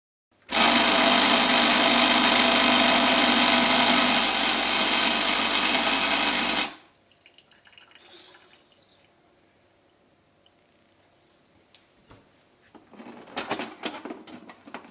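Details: DeLonghi EC310 espresso machine pump gives a loud, harsh rattling buzz for six seconds while the machine shakes; a hair band is suggested as the fix; excessive pump vibration noise.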